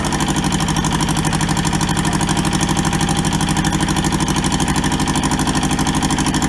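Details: Toyota SDK4 skid steer diesel, restoration project, running after first successful start; steady even chug at idle, about three beats a second, no misses or knocks; running normally.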